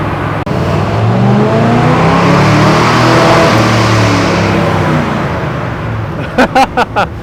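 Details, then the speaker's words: Crazy Taxi car on dyno in first gear with Holley Sniper EFI during tuning, light load: engine pulls up hard, then chops into four sharp stuttering bursts; hits the rev limiter quickly, a noise never heard before from it. "hits the rev limiter pretty quick. I've never heard it make that noise before."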